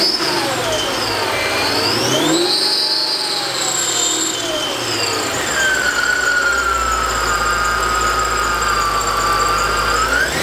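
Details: Mercedes E55 AMG supercharged V8 after installing a new water pump, fixed supercharger pulley and billet pulleys, which bring more boost: loud high supercharger whine rising and falling with each throttle blip. Strong but normal, healthy blower whine.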